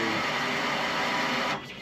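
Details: Procharged GTO with a dual in-tank fuel pump setup, second pump triggered via bypass during a fuel pressure fault (pressure reaching 63 then dropping to zero, tank leak suspected): steady high electric whine cutting off sharply after 1.5 seconds. Fuel pump whine.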